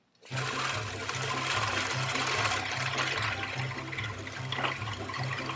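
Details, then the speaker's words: Old manual push cylinder reel mower after blade adjustment and backlapping with grinding compound, mowing grass: steady whirring swish with an even low thump about once a second, no clatter or drag; now cuts cleanly instead of shredding or tearing. "I'd say this mower is running about 1,000% better than it was before. It's actually cutting the grass and not just shredding it up or tearing it."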